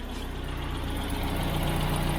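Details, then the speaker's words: Austin Allegro petrol engine run on E5/E10, after a fuel filter and pipe replacement, with the temperature gauge mid-scale. Even low idle as the cooling fan kicks in with a building whoosh, no misses or knocks. Normal. "plan to go for a drive and uh fill a can with fuel etc and then yeah fans just kicked in"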